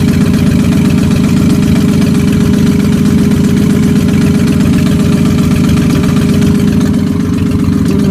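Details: Mustang at idle: fast, fairly loose knock or tick about four beats a second; owner unsure whether rod knock or exhaust leak.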